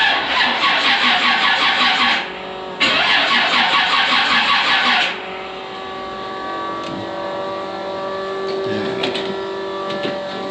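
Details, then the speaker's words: G-body Monte Carlo SS with small-block stroker and high-torque starter, battery on a tender: starter grinds over in two bursts of about 2.7 turns a second, uneven and laboured, engine doesn't fire; quicker on charge, fuses suspected but cause unconfirmed. "Alright, so again, so you hear how quicker it sounds turning over. And so it's way better on the charge."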